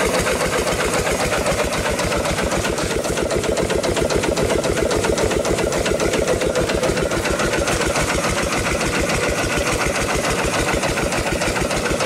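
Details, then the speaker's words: Rebuilt upright steam engine running for the first time in probably 80–100 years, after a loose, misaligned fitting was tightened to stop the leak. Quick, even chuffing about four strokes a second with no knocks or clatter: normal running. "we'll do more to it but for now it is running it's running pretty good first time in probably 80 or 100 years it's hard to say"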